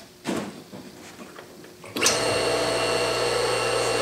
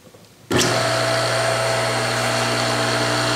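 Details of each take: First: 1.5 hp electric motor after ball-bearing replacement, reassembled with the draw bolts tightened evenly, on a test run; before the repair it sounded noisy and coasted only briefly. After a few clicks it spins up to a clean, steady hum with an even tone and no rumble or grind; bearings sound good. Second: Worn ball bearings in a 1.5 hp electric motor, heard on switch-on: a steady hum with a rough, gritty hiss over it, and the motor coasts down quickly after power-off; it is noisy and the bearings need replacing.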